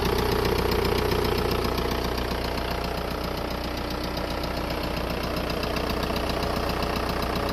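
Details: VW Golf 4 1.9 TDI diesel at steady idle: a strange, regular knock of roughly 150 a minute over the clatter. Engine knocking; cause suspected but not confirmed or pinned down.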